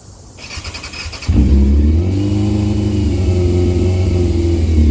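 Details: Yamaha YZF600R after replacing leaking exhaust header (snapped studs, one bolt used in place of stud): engine catches and settles into smooth steady low rumble with gentle rev, slight smoke, no chuff or tick from manifold; healthy running.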